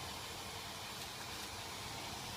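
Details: Parked M-Slaz motorcycle after shutdown: long steady airy whir with faint whine from the radiator cooling fan under the bike, running on when hot after traffic or long rides; normal.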